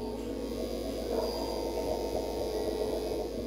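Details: Amplifier switched on with no music: constant low buzzing hum with steady overtones, noise also spoils playback over Bluetooth; mains hum from a poor chassis ground.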